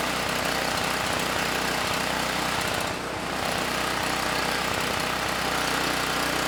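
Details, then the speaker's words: Campbell Hausfeld GN503100AC 5000 W generator, 9 hp Briggs Vanguard, space heater on standby, with correct 25 µF capacitor: fast steady pulsing with slight wavering dip midway; engine and generator good but carburetor runs way too rich. "the carb yeah we need to go through that OEM carb and get that running better because this carb it's way too rich I do not want to leave it on this machine"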